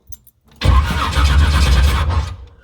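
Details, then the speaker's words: Chevy S10 Blazer with 383 small-block, TH350, first install: starter cranks the engine at an even, steady beat for about two seconds with no grinding or binding; starter healthy. "well starter turning over that's all we needed"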